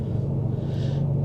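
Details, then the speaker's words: 2023 Ram 2500 Rebel Cummins diesel, first cold start of the morning at 27 degrees: steady diesel rumble, then idle steps up and stays raised around 1,000-1,200 rpm as cold-start cabin heating mode kicks in; normal. "And so it should have a high idle here for a little bit as it starts heating up the cabin. Yep, so cabin heating in progress."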